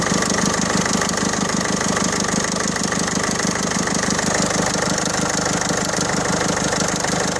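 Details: 2007 Peugeot 307 Break 1.6 HDi 90 with DPF: rough, rattly clatter at idle with a fast steady beat over the engine note, like a lawnmower buzz; abnormal engine noise of unidentified cause.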